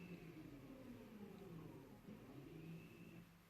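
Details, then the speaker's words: Audi Q5 (2011–2018) after rear brake pad replacement, electric parking brake closed via diagnostic tool: a faint, steady motor whir runs a few seconds then fades, the rear parking brake motor closing normally. "Now you can hear the electric motor closing."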